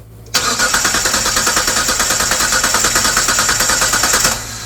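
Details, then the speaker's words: 1998 Mitsubishi 3000GT Base SOHC 3.0L V6, sitting over 12 years, no-spark diagnosis before distributor, coil and PTU replacement: starter cranks briskly and evenly about four seconds, never fires; coil not getting power. "So, our coil's not getting power for sure."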